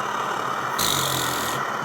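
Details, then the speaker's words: Backpacking liquid-fuel stove, running after preheat despite a pump not working perfectly: steady rushing roar that swells briefly then settles, no sputter or surging; burner drawing fuel properly, boiling at about 7 minutes. "it's kind of making that sound. That's the sound that it's really moving."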